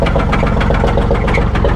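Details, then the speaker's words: 2004 Buick Park Avenue Ultra supercharged, bought at salvage auction, battery thought weak, mufflers cut off: loud, fast, regular deep metallic knock every turn over a rough open-exhaust idle; rod knock suspected. "uh-oh that didn't sound good [Music] that sounds like a rod knock"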